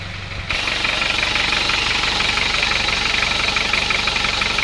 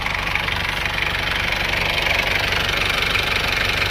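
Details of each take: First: Isuzu Panther 2.3 diesel idle with a sharp, regular clacking about three per second over the rattle. It is diesel knock from low compression, later found to be a loose cylinder liner and badly worn piston rings causing blow-by. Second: Isuzu Panther 2.3 diesel after repair: steady idle with an even clatter about four beats a second, no misses or odd knocks; combustion is now smooth and the engine healthy.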